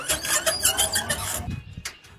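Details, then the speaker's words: Nearly new electric tricycle, wheel bolts already tightened, half shafts and bearings checked fine; rapid high squeaks about six a second tied to wheel rotation, louder pulling away, turning and under heavy load: likely drivetrain squeak, cause unknown. "从声音上区分，应该还是传动部件发出来的声音，因为它是随着轮子的转动产生的噪音。"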